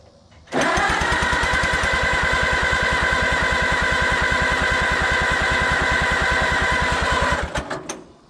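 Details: Allis-Chalmers WD tractor, first start attempt in 25 years after a carburetor rebuild: about seven seconds of even starter cranking with no firing at all. Cranks but no start.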